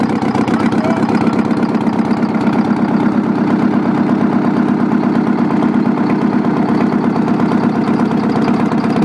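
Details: Old Detroit 8V71 two-stroke V8 diesel at idle, spraying a little oil; loud, busy, slightly uneven clatter over a deep drone; even at idle it's loud.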